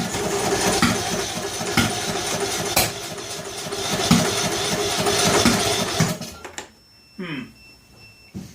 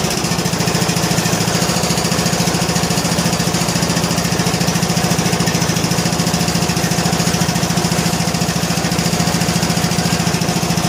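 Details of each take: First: John Deere L100 lawn tractor cranking on a jumper pack with carb spray: uneven cranking with sharp pops about four a second that never catch, firing back out the intake; owner suspects a tight intake valve, not confirmed. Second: John Deere L100 lawn tractor single-cylinder, choked, on a weak battery, after adjusting loose intake and exhaust valves: a steady, even thump at about three beats a second with no ticking or misses, running smoothly.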